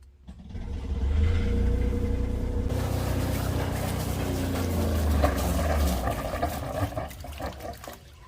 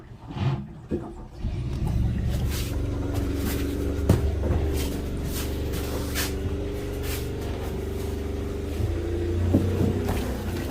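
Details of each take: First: Generator on a new Tiara 34 boat that runs then shuts off, possibly fuel system or stator: catches with a deep, even drone, water splash and heavy smoke, then slows and dies after a few seconds. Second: Generator on a Tiara 34 boat that previously would run then shut off (fuel system or stator suspected): after a brief crank it catches and settles into a steady, even low rumble with no knocks; generator running healthy.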